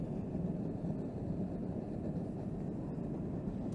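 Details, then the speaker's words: Gas forge burner turned right down to minimum gas pressure, giving a low, uneven rumbling flutter as it sputters. The burner gets louder as the gas pressure is increased. "we'll take it all the way down to where it's sputtering hopefully you guys can hear it sputtering"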